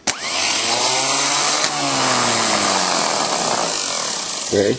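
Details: VW pickup, Napa original starter tested out of the truck on jumper cables: sharp whir spinning up fast and winding down smoothly when power is cut, no grinding or dragging; starter spins strongly.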